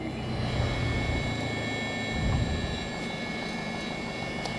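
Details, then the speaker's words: Lycoming fuel-injected Mooney M20J, hot start just after landing: engine idles low and fairly even at 750 rpm after earlier spitting and popping from loaded plugs cleared. Fuel pressure holds, suggesting good mixture plates. Normal healthy idle. "that's 750 on the idle I'm reach over and kill it and we'll sit here a few minutes let everything get all good and flooded"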